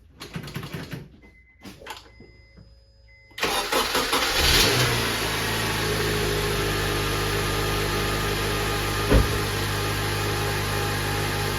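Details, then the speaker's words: 2007 Honda Accord, K24 engine, manual, first start after clutch and throwout bearing replacement: engine catches and settles into an even idle; the earlier whirring bearing noise is gone, no grinding from the bellhousing; healthy. "Oh yeah. Not only is it running, but that horrible noise is gone."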